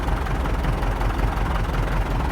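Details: MTZ tractor diesel after repair with new clutch and about 12 L fresh oil, cold: low, even idle with no tapping or knock. Oil pressure reads 4 cold; engine sounds healthy.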